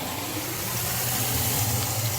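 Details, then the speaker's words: M98 sump pump in a backyard sump basin running with the float held up; a steady low motor hum under rushing, gurgling water as it quickly empties the pit. Smooth, strong, normal pump operation. "so yeah it's taking it out real quick we'll just let it run see if I can hold this float up"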